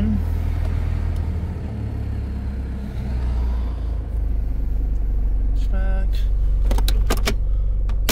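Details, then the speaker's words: 1996 Toyota Land Cruiser Prado KZJ95, 1KZ-TE intercooled turbo diesel, automatic, 4x4: steady diesel idle clatter lifts slightly with the idle-up switch, holds, then settles back; raised idle. "Has an idle up switch. Got a little bit of RPM."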